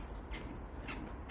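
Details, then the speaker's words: 1977 AMC Matador: repeated high scratchy squeaks each time the body is rocked; owner thinks it needs shocks, squeak also heard when driving; not confirmed. "you hear that squeak yeah you should hear it when i'm driving it it's just it's awful"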